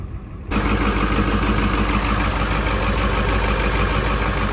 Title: ford e-450 7.3 power stroke turbo diesel former ambulance starts and runs on a freezing Michigan day